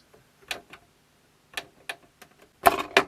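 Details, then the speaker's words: Sharp CD-JX20X boombox CD section: scattered sharp clicks and ticks as the mechanism reads the disc's table of contents almost instantly, then silence with no playback at first. "hear it making a noise. Oh, yeah. It went read it almost instantly, but it's not playing it."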